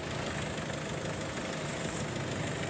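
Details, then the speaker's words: 2004 Mitsubishi Kuda Grandia 2.5 diesel at idle: even, steady diesel clatter with a constant rhythm and no misses or knocks; described as smooth, a healthy normal idle. "Nah untuk kondisi mesin masih suaranya mulus ya dieselnya masih"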